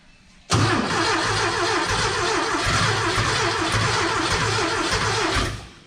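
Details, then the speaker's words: Porsche 914 with new 2-liter engine, first start attempt, oil pressure established, fuel squirted in: steady quick cranking about five seconds that never catches; no start, may need more throttle. "maybe a little bit more gas probably need to be on the gas we'll see"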